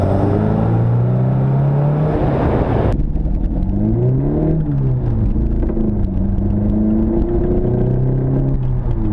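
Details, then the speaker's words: Mk1 Fiesta XR2 with Jenvey throttle body and Omex 600 EFI: low lumpy exhaust note stumbling as revs rise and fall. Misfire blamed on injector aim, one cylinder getting too much fuel at low speed. "uh so the the fuel rails in here the injectors are pointing down there and that one's getting too much fuel at low speed"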